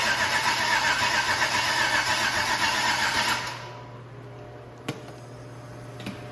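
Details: 6.0 LS V8 with supposedly 150,000 miles, first start attempt since purchase on a makeshift fuel setup: even starter churn about four turns a second that never catches, then goes quiet. Crank, no start.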